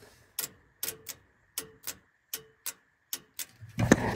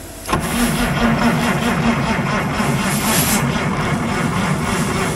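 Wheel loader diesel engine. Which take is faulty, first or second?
second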